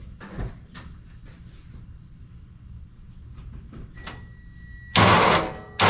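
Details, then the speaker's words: Kei truck with cleaned starter connectors and an old battery from 2022: a few faint clunks, then two short cranking bursts that cut off abruptly as the starter seems to disengage; owner suspects low battery voltage. "It did crank over better that time. Um, I think right now we're just dealing with the low voltage. It'll crank over a few times, but it sounds like the starter disengages some."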